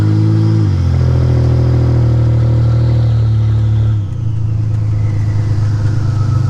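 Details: 1985 Nissan 300ZX Turbo (Z31) driving after new spark plugs and wires and replacing a torn intake/charge-pipe hose that caused a boost leak and misfiring under boost: strong deep exhaust pulls cleanly, brief dip at each gear change, no cutting out; healthy under boost.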